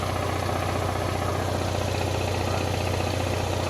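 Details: Onan Marquis 5500 generator with both rooftop ACs on, at full load, after refitting the crankcase plug that high crankcase pressure had popped out, air cleaner still off: steady, even drone with no surging. It runs normally with no smoke.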